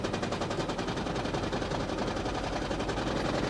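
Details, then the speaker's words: Cold-start vehicle at an auction yard: harsh, rapid, uneven knocking at about four per second over a rough-running engine; it is said to clean up with throttle and once warm. "I know it sounds really bad but I had one of these and it did this I never figured out what it was but it would stop you would have to rev it up and it always did it when it was cold"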